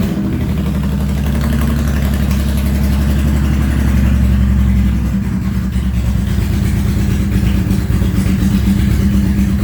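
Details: Honda VTX1800 (2002-2005) V-twin after fuel pressure regulator replacement: starts cleanly, steady even lope with a brief rev, no misses; normal idle.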